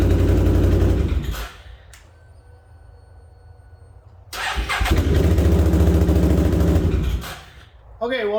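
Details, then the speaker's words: 2008 Can-Am Outlander 650 XT ATV with a no-start fault, caused by a bad wiring connection and fixed with a new connector. After the repair it cranks, catches and settles into a steady, even idle with no misses or knocks. "there you go there's a quick easy fix costs nothing but a wire cutter and a little bit of time"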